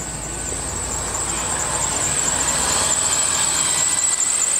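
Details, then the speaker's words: 2001 Ford Taurus running after starter replacement: a shrill, slightly wavering squeal holds steady over the engine throughout. The owner notes a squeaky belt, likely a slipping accessory drive belt. "got got a squeaky belt but yep so I'm glad that's"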